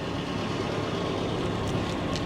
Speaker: either way though compressor kicks on it sounds good it does it sounds good it looks pretty good